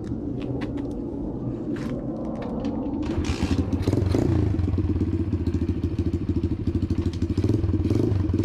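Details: Apollo DBX-18 dirt bike, single-cylinder, after replacing shredded transmission main and counter shafts with gears and new case, cylinder and head gaskets: steady thumping rising with throttle on the road, earlier rattling gone, engine and gearbox healthy.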